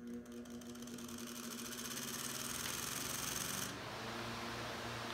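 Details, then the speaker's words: Likely 1930s Delco 22" industrial floor fan, 1/5 hp, 1750 rpm capacitor motor with centrifugal switch: quiet, even hum builds with a faint buzzy flutter, then settles on changeover to the run winding, which gives strong torque; clean start. "you'll notice that there is a distinction between the start-up winding and the run winding and you'll notice the amount of torque that is applied once it switches to the run winding"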